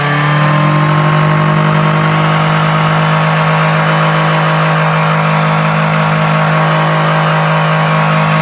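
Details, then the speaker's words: Honda Dio Elite 50 (AF16/AF18) scooter after ZX transmission swap with TFC variator and long belt: clean steady buzz holding pitch, no slipping, squeal or rattle; belt fits, normal running. "okay so the long belt Works um I don't see any issues it seems to fit"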